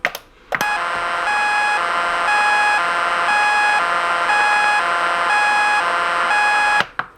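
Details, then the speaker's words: Lightning-damaged NuTone IMA3303 intercom, mic about an inch from the grill: silent until door talk or inside patio talk is pressed, then a loud steady two-tone bleeping alternating about once per second comes from the speaker. "obviously we're receiving some sort of alien signals if we do inside patio talk it's the same thing i'm fairly certain it's a distress call from the andromeda system"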